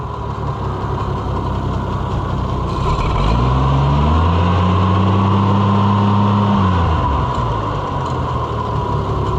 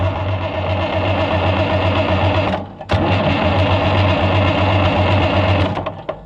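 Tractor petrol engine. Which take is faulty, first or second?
second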